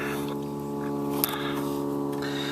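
A steady low buzz with a hard hum under it runs beneath the audio without changing: a mains buzz from the set, cause unconfirmed.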